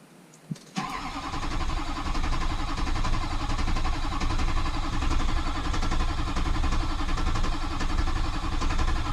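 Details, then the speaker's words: Rebuilt rollover-wreck diesel truck cranks steadily at starter speed but never fires; injector lines cracked open show plenty of diesel, yet it still won't start. "no start all right let's try cracking these open to see if we can get some fuel"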